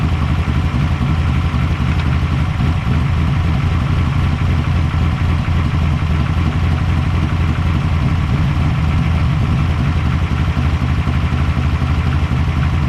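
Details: Engine catches and settles into a steady, even low idle with no knocks or misses after the key-on fuel pump priming is heard; healthy running.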